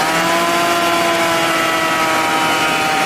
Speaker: 奥迪啊装的这个 CVT 的变速箱，跑到15万以后啊，有一些车呢会听见这个屁股底下嗡嗡嗡嗡嗡，速度越快，嗡嗡的越响啊。基本上啊，要是变速箱里响的话，就是这个轴承坏了。